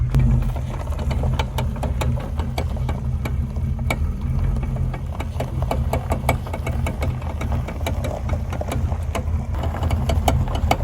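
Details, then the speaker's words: 1979 Pontiac Trans Am with 10-bolt 8.5-inch limited-slip rear end, turning in driveway at idle: sharp irregular clicks and pops, two or three a second, making tires jump; fixed with limited-slip additive after fluid drain, not sticking calipers. "Just clicking and popping to the point where the tires are jumping."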